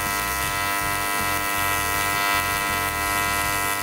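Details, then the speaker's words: YesWelder CT2050 AC TIG welding an aluminum butt weld, coupons spaced off a 1/2 in steel table, keyhole and dab filler: steady, even high-pitched buzz with a constant hum, no crackle or sputter; normal stable arc. "I hope you can hear me over the buzzing but we can hold that puddle here in definitely that is the beautiful thing about Pig welding"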